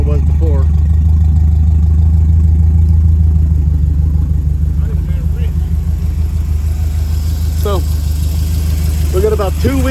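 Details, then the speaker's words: 1968 Camaro V8 idle after new spark plugs, new spark wires, coolant refill and carburetor tuning (springs and metering rod changed): deep steady burble about three pulses a second, even, no misses or knocks; much better than before. "Oh yeah, listen to that. That's much"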